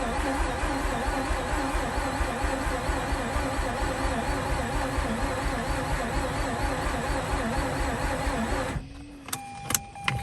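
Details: Mazda RX8 with a leaking fuel pipe, being cranked to clear flooding: fast, even starter cranking for about eight seconds with no firing; engine spins freely but doesn't start.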